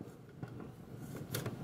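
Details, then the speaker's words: 2006 Infinity TSS-450 subwoofer giving no bass, only faint irregular crackles and pops from the speaker even with the input disconnected. Suspected faulty limiter board, before the limiter-bypass repair. "But even if I disconnect the input, I'm still getting crackling"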